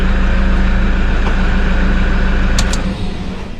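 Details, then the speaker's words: Toyota Hilux 1KD 3.0 turbo diesel after timing belt replacement, first start: steady even diesel clatter at idle, about three beats a second, no knocking, then winding down; engine running healthy. "and now we can start the vehicle and that sounds like it's running"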